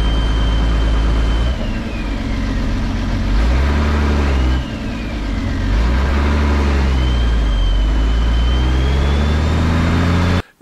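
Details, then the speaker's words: Diesel expedition camper driving, window down: loud high turbo whistle rising and falling with engine speed, drowning out the engine, far beyond a healthy turbo; owner says there is definitely a leak, to be fixed at a workshop. "Also wirklich über das Maß hinaus, wie normalerweise sich ein Turbo anhören sollte, wenn er halt gesund ist."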